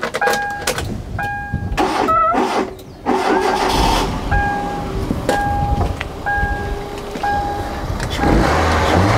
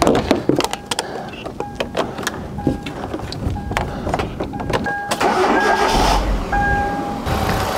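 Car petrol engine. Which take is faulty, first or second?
second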